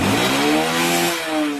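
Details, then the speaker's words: Carbureted Honda Beat scooter after the carburetor internals were fixed for a starter-clicks-but-no-start fault: revved hard at high throttle, holding a clean, even high note with no misfire or knocking. Runs healthy. "Nah, sekarang saya tes dengan gas betot tinggi."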